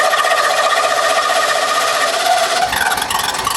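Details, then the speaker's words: 1989 Ford F150, 61,000 original miles, sat over 20 years, new fuel pump and filter fed from a gas can; after cranking, quick even clatter of about four beats a second, running on its own, barely smoking. "Oh, yeah, come on. Woo! There she goes. Oh, man. Not even hardly smoking."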